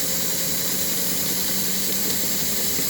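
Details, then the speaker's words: Model train engine motor rebuilt onto a tight chassis, rolling at 7 volts around 1 amp: even high whir and faint hum, no crunching gear noise unlike the previous chassis. "It rolls up to 7. Nice and easy. You don't hear the crunching gear noise like we had on the other one."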